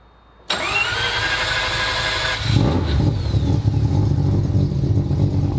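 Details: Rob Dahm 3-rotor rotary engine started: starter whirs briefly, engine fires right up at once and settles into a steady, slightly lumpy idle; healthy start.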